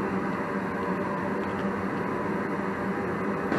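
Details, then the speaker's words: 80% single-stage Goodman natural-gas furnace on a heat call: gas valve opens, burners light and prove flame with an even rush, then the blower kicks in once the heat exchanger warms; normal full heating sequence after the bad thermostat wire fault was found. "there goes the fire there a couple seconds of running it should prove the flame and then after however long of the heat exchanger being warmed up the blower will come on blow the warm air in until the thermostat tells it not to or that it's warm enough"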